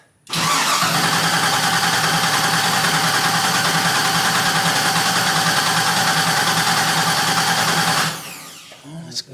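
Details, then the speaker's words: 1977 Camaro Z28 first start attempt: even starter cranking about three turns a second for about eight seconds with no firing; crank no start, cause not confirmed. "getting a bit concerning now did a couple more cranks off camera there"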